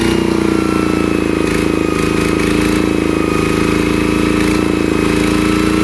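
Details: Kubota ET110 single-cylinder diesel after rebuild for an abnormal knocking noise, steady even chug at fast idle with clean tone and no knocking; judged good, normal running.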